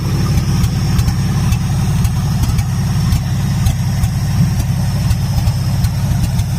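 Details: 1977 Ford F-250 V8 on its first runs after a carburetor gasket and battery/starter wiring fix: a deep idle with an uneven, lumpy beat and stumbles about twice a second. The idle misfire persists.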